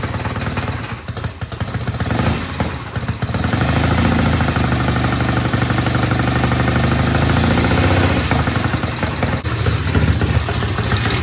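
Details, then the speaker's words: 1972 Norton Commando Combat twin idling after installing new 3-phase rotor and stator: steady lumpy idle, firing even, with a light mechanical rattle from the stator; running fine. "Success. Man, this bike sounds so good."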